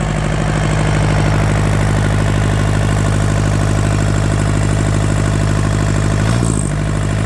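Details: Yanmar TK486 4-cylinder diesel, after a grid-heater cold start: deep, even rumble at a steady idle with clean rhythm, no knocking or missing; no blow-by pressure from the vent, healthy engine.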